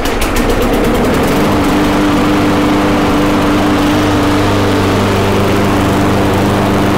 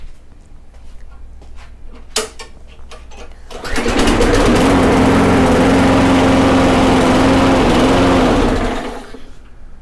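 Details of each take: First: Briggs & Stratton Quantum mower engine after final governor adjustment, close-up mic: steady high-speed drone at even pitch with faint irregular spitting; governed speed correct, carburetor needs fine tuning. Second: Briggs & Stratton Quantum mower engine after governor adjustment, restarted and running too slow: steady low, lazy drone, then shuts off. A 1/16-inch bend of the governor linkage changes engine speed substantially; engine had been revving insanely high before.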